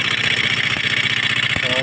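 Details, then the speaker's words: Motorstar Star-X 125 / Rusi 125 pushrod single-cylinder, still noisy after both tappets were adjusted: fast, even ticking clatter over a rough idle, not coming from the top end; the timing gear is to be checked next. "pa tayan Maingay pa rin mga boss ano so hindi dito sa taas Yung kanyang sira so ito- troubleshoot natin to mga boss ano ah bubuksan natin yung head yung black para makita natin yung timing gear"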